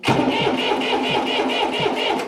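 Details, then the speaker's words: John Deere 830 Utility diesel tractor after new injector install, three injector inlet lines loose and fuel starting to squirt out while bleeding; steady rhythmic cranking, about four even compression beats a second, no catch; cranking while bleeding fuel system. "we've got these three lines these are our Inlet lines for our injectors we've got them loose right now as you can see I'm SP over a little bit you'll see some fuel starting to squirt"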